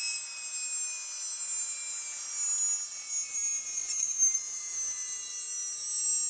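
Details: Atlas launcher gyro rotor on spin test, fed 115 V AC across terminals A and B via a 270 nF capacitor: a thin, piercing high whine holds steady while a fainter tone slides slowly downward, very noisy at full speed.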